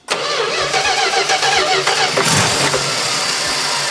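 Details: 1970 Plymouth Duster 340 V8 that sat for 30 years, cranking during first-start attempts: the starter churns with ragged, uneven catches but it won't run because it is not yet picking up fuel; fuel arrives shortly after.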